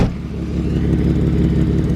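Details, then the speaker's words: BMW wagon after replacing parts to cure a misfire: engine revs cleanly and evenly with a smooth, steady note, no stumble or miss as it climbs, much smoother than before. Smooth running. "So much smoother. So much smoother."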